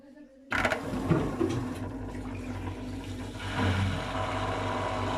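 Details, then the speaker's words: LG F12B8MD1 washing machine, about 6 years old, Cotton program at 800 rpm, draining: water rushing with coarse steady low rattle from drain pump; rattle began gradually about half a year after purchase, someone warned pump may burn out; cause unclear. "Она вот так тарахтеть начала вот после полгода, как мы ее купили. И то она как-то постепенно, и мы как-то даже не обращали внимания. И сейчас она как-то не так уж и тарахтит."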